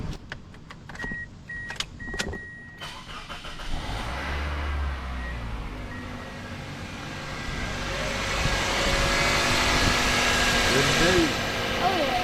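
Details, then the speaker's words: Toyota Corolla at 227k miles, just after serpentine belt and tensioner replacement: a few clicks, then the engine fires and settles into a steady, even idle with no belt squeal or chirp; repair successful. "Another 200,000 mi, let's go. All right, guys. Corolla's good to go."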